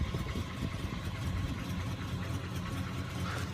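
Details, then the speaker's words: "Sweet71", now warm enough that its usually high idle has settled low: a smooth, even purr at a steady idle with no misses or knocks. Owner says it's ready to go. Normal idle. "incredible yeah she's purring now she's ready to go"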